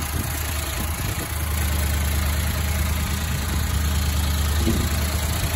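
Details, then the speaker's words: 1974 Chevrolet El Camino LS4 454 V8, one-owner barn find, first start after sitting: deep, lumpy, irregular idle with the carb revved up to keep it running. Owner suspects a partly flat camshaft, unconfirmed. "sounds like hill running on all eight but i think the camshaft probably a little stickier flat"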